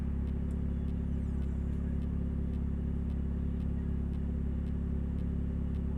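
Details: 2000 Nissan Altima, an old car owned since 2010, while driving. A deep, throaty rumble with a rapid steady pulse, far too loud for a small car, from an exhaust leak at the braided flex pipe, before repair.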